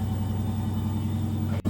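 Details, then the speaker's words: New Centek washing machine, transport bolts removed, knocked and shook badly at light load due to a pushed-in rear panel; after repair and leveling the feet, spin cycle runs with a steady low hum, much quieter, no knocking. "она стала работать намного тише. Теперь вы слышите совершенно другой звук. Стучаться не нужно."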